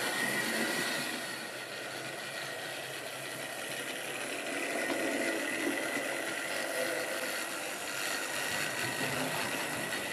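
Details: Wrenn West Country class model loco Lyme Regis, unrun since the 80s, after servicing: couplings freed of paint on bearings, joints greased. Steady, even whirring hum from the small motor, no catching or rattles; runs smoothly, sounds healthy.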